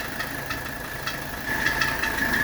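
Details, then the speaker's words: 1985 Mercedes 300SD (W126) diesel idling during AC recharge: light irregular chatter from the compressor area plus a faint steady whistle, because a freshly fitted drive belt is slightly loose and needs tightening. "you can hear there's a little chattering coming from the compressor area that's because that's a fresh belt and I need to tighten up the belt a little bit if you don't have the belts tight enough you'll get chattering from the compressor"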